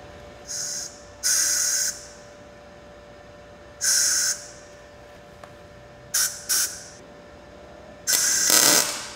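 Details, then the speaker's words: Blue Demon BLUEARC 140MSI 110V 140A MIG inverter, synergic mode, fine-tune centered, low wire speed, thin metal tack with no shielding gas: short harsh hissing sputtery arc bursts with uneven starts; gas needed. "it's making me wonder if I need to run gas through this line let's try that"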